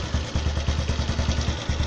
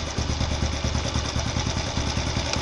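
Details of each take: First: 110 cc motorcycle idling after carburetor adjustment with air screw at about one and a half turns, even low thumping about five beats a second, steady without hunting or stalling; good stable idle. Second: 110cc motorcycle carburetor with air screw turned in a quarter turn from one and a half turns for economy: idle hunts with an uneven, stumbling beat instead of a steady putter; too lean.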